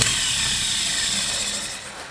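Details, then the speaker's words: Rebuilt starter with reground brush from 1956 International S132 pickup, bench-tested on jumper cables: fast even high whir spinning freely, winding down smoothly; healthy starter. "okay that is working"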